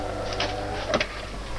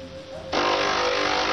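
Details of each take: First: De'Longhi Perfecta coffee machine that grinds poorly and squeaks loudly, before repair: brew unit cycles with harsh grinding whir and sharp squeaky bursts; gearbox suspected. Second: De'Longhi coffee machine after repair of brew unit and grinder (had ground poorly and squeaked loudly): pump kicks in abruptly and holds a steady, even hum about two and a half seconds during pre-infusion and brewing; healthy brewing cycle.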